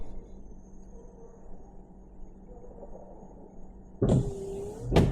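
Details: 2008 GMC Yukon wiper motor run through an actuation test on a Thinktool Platinum S10 Pro scan tool: after a quiet pause a motor whirs up with a brief sweeping tone and ends in a thump. The wipers work normally.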